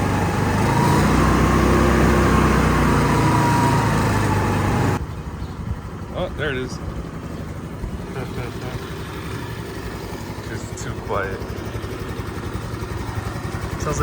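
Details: Moped revived after five years unused, carburetor replaced and new battery fitted: high light buzz under throttle drops to soft steady even patter like a sewing machine; normal running.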